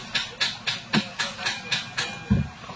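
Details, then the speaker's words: Hyundai Grand i10 diesel, push-button start: about nine sharp clicks at roughly four per second with no cranking when starting; weak battery reading only 9.56 V on a multimeter (12 V battery), starter clicking. "শুনিছে আৱাজটো take take take take take এইটোৱে হৈছে ভাই গাড়ীখনৰ problem তো ভাই এইখন গাড়ীত যে 100% বেটাৰীৰ প্ৰবলেম আছে"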